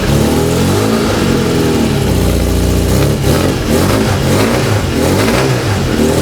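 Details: Freshly built Volkswagen/Porsche type four flat-four on a test stand, distributor drive gear set loosely pending fuel injection, aluminum-finned cylinders built for turbocharging; crisp even firing picking up cleanly through blips and settling back, no misses: normal running.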